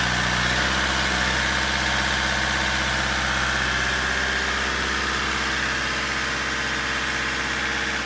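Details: Mercedes C220 CDI diesel after a full filter service, including a fuel filter change with lift-pump priming and revving to purge air. Even clatter at a steady idle with no misfire, hunting or stumble, so the engine is running cleanly.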